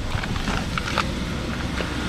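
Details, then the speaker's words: BMW 750iL E38 5.4 V12, abandoned 10 years then driven 800 km, after hose replacement: smooth, steady low idle, even hum, no knocks or squeals, much quieter than before; normal idle, voltage stable. "voiture est nement plus silencieuse qu'avant le remplacement de la duriteav ça fait beaucoup moins de bruit aussi à ce niveau"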